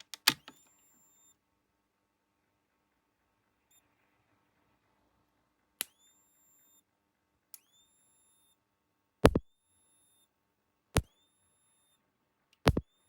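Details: Rutland Electric Shepherd ESB25 fence energizer on 6 V battery, after repairing a broken transformer coil wire that stopped it clicking: sharp snapping clicks with brief ring every one to two seconds; pulsing normally, spark modest, low capacitor to replace.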